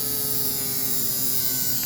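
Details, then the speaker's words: Old American Flyer AC diesel Alco motor converted to DC with an adaptor, run at about 6 volts: steady electric hum with high buzzing whine; needs 3 volts to start, suggesting stiction; armature likely rubbing magnet, and it later burned out. "Yeah, the humming, that noise is likely something going on in there. A little armature touching the magnet or something like that."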